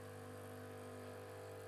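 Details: Krups Nescafe Dolce Gusto after replacing the leaking diffuser/needle plate assembly, brewing a milk capsule: a steady, even buzzing pump hum with no tone change. The pump runs normally and there are no leaks.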